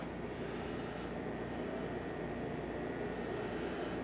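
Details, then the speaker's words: Optoma X600 DLP projector after repair of a detached door switch, plastic epoxy and fan repair: fans come on at startup with an even, smooth rush and a faint steady whine, no rattles or scraping. Normal cooling fan operation. "Everything should fire up in a second. There it goes. Fans just came on."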